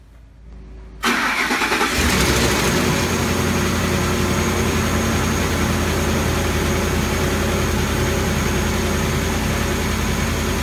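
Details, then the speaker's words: Ford 5.4L 3-valve V8 cold start: a busy metallic startup rattle from blown-out timing chain tensioners, then a constant tick suspected to be roller followers or lash adjusters; teardown later found heavy sludge and broken guides. "now it has a classic startup rattle noise from the tensioners being blown out after that quiets up a bit a bit but then it has a constant and um I'm thinking this one is Roller followers or more lash adjusters so let's start it and listen"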